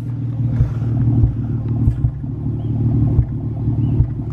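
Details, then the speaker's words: Nissan 350Z at idle after clearing codes, following a spark plug change for a cylinder 1 misfire code: a low rumble broken by uneven thumps and stumbles, a rough misfiring idle; the new code pointed to cylinder 3, with a coil pack suspected. "I can already tell it's running rough and it sounds like it's running a different ruff"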